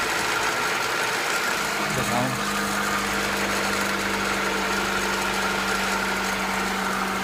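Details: Acura Integra B18B1 engine at steady idle, recorded before valve adjustment: light quick ticking that keeps pace with the engine over the idle hum; valve tappet clicking from loose valve clearance, needs valve adjustment.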